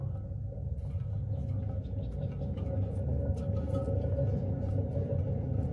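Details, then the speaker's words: Gleaner R72 combine, unload belt dampener hub on the main separator clutch turned slowly by hand: low gritty rumble with uneven pulses, the same noise heard with the machine running; dry bearing, clutch bearings being replaced. "yeah that's not good that's what I was hearing when the machine was running that's a dry bearing sound"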